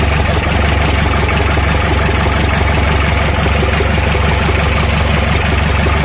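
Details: Toyota Noah 3C turbo diesel after engine repair: steady, even idle clatter about three pulses a second, no misses or knocks; healthy normal idle.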